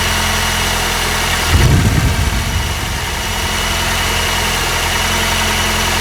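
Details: Honda R20A3 petrol engine at cold idle, mic in engine bay: dull low knock about three times a second under the idle drone, louder in colder weather and gone after a few minutes; owner suspects piston slap, unconfirmed.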